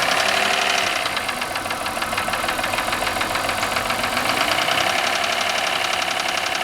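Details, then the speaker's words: 1996 Voyager, first start after three years of storage, with fresh gas, oil, oil and air filters: rough idle with a loud, fast metallic knock throughout; origin unknown. "Doesn't sound good at all. Got a bit of a knock to it."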